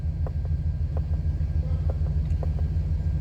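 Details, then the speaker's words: 2000 Chevrolet Express with a crank-no-start, running after carburetor spray into the intake: deep, steady engine rumble with an even beat, no misses or knocks; smooth idle. A weak fuel pump or clogged fuel filter is suspected. "as soon as you spray it the car starts you see how smooth this car is running fine"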